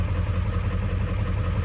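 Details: Cold 7.3 Powerstroke diesel after IPR replacement, warming up: a deep, steady idle with an even low clatter and no misses. IPR sits near 20.3%, which the owner thinks is high, expecting it to fall when warm.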